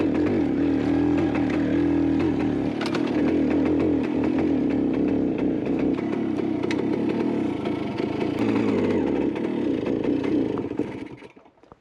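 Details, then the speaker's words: 1974 Kawasaki G5 100cc rotary-valve two-stroke, barn-stored since 1985, carb cleaned, new NGK plug not gapped: ragged crackle under load, note sagging then dying; bogging and stalling, cause unclear, plug gap suspected. "there is one big issue and that is just it would not stay running oh it's bogging oh no what is going"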